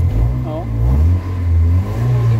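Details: Kia Pride after XADO engine treatment for white smoke, low power and vibration; idle recovered, quick blips rise and settle smoothly without shaking; throttle now responds with light taps instead of full throttle; a noisy belt was also noted.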